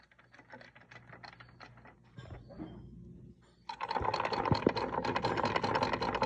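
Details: Dodge Dart Rallye engine running with a busy, fast mechanical ticking of about three taps a second; engine knock of unknown source.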